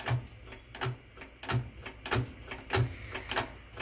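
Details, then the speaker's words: Top-load Whirlpool washer with a very bad lid safety switch: dull regular clicks about 97 a minute with nothing spinning up behind them. The washer won't start, and the owner plans to take the switch apart or wire its two leads together. "see my switch is really bad so I'm gonna have to rig it probably"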